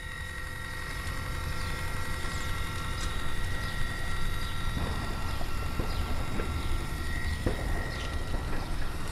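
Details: Westinghouse Linatrol HL-90 controlled CNC optical tracer gas/plasma cutter: steady low drive motor hum with faint even whir rising to a brisk pace at top speed; drive runs smoothly.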